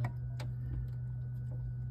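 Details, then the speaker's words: Whirlpool WRF993F refrigerator with fresh food section not cold enough, heard behind the evaporator cover: sharp, irregular ticks over a steady low hum as the air damper clicks, caused by a bad thermistor. "all right guys so I want to talk real quick about uh thermistors now on this particular unit it had a bad thermistor"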